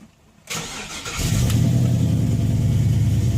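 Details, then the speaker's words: LS-swapped 1967 Oldsmobile Cutlass V8 fires on first crank, flares briefly, then settles into a smooth, even, steady idle; normal cold start and idle. "this sounds really good nice and steady when I'm done I'll probably go take this thing for a small test drive"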